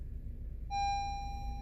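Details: Honda CR-V cabin at 39°F, in park: single clear electronic warning chime as dash cycles brake system, VSA, EPS, TPMS and brake fluid low messages; low brake fluid from brakes worn to bare metal with caliper pistons fully extended.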